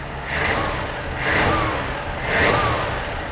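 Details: 1980 Dodge D150 after carburetor rebuild with the main air bleed screw two turns out: three clean throttle blips, each rising and falling smoothly back to a steady idle without stumbling.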